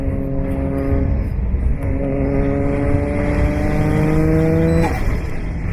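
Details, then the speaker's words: Toyota JZX100 (1JZ straight-six) back on the road after four months, with loose turbo manifold bolts causing an exhaust leak now fixed. It pulls cleanly with a steady rising note through each gear and runs evenly; sounds healthy. "oh man just hearing that 1j again i forgot how it sounds like it's been a long four months guys"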